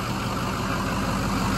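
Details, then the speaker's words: Rebuilt 6.0 Powerstroke F550 that had been sitting, idling after a sudden shutdown and IPR work: a steady, even low beat with no knocks or misfire. Still a little smoky but cleaning up. "it feels like it's already starting to clean up a little bit"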